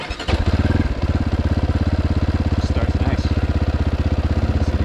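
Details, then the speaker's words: GPX FSE300R single-cylinder motorcycle running an ARacer Mini5 ECU: starts at once, more cleanly than the odd startups it had before, and settles into a steady, even thumping idle. "you literally just turn on your ignition you see it start to come on and resets RPM to zero bike actually starts a lot cleaner now before it would kind of do a weird startup"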